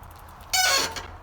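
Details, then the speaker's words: Bicycle with cheap disc brakes, pads possibly contaminated: brief, loud, shrill warbling squeal when the brake is applied; fix is scuffing the rotor with a scuff pad; cause suspected, not confirmed. "if you're like me and have cheap disc brakes or have contaminated your pads somehow you might suffer from the same thing I did"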